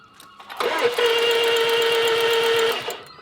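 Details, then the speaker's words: Stolen-recovered Range Rover Evoque, 2 L engine with wiring damaged by thieves: starter whirs steadily about three turns a second for two seconds, engine never catches; suspected no compression, worn-out engine; cranks but will not start. "stolen recovered sorted it all out no compression you can hear that shagged engine but yeah the way it run up right let's see what it does"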